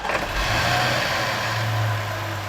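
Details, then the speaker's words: Land Rover Range Rover, after swapping two reversed water hoses whose metal clamp the clutch fan blade struck: engine starts quickly and settles into an even steady hum; the clicking noise mistaken for engine knock is gone. "发动机完美启动，异响声彻底消失。"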